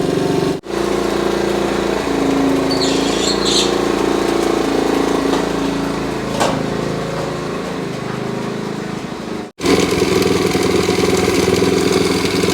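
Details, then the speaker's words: 1969 Honda CT70 small single, choke opened, before a road ride: steady, even idle with a crisp exhaust beat and no misses, sounding healthy and nice. "Yeah. Don't want to go too much. Listen to how nice that sounds."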